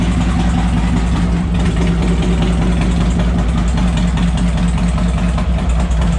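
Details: 2007 Harley-Davidson Ultra Classic with swapped-in used 103ci V-twin from a 2014 Dyna Street Bob (25k miles), OEM ECU tuned, about 30 miles since swap: loud, deep, even V-twin lope at idle, steady firing, no knocks or ticks; runs like a top.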